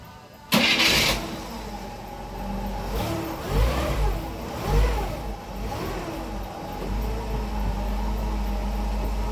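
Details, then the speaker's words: 1963 Pontiac after the knock fix, with the bolts retightened: cranks, catches, a couple of throttle blips, then settles to an even idle with no knock under the exhaust note; normal idle. "That sounds better."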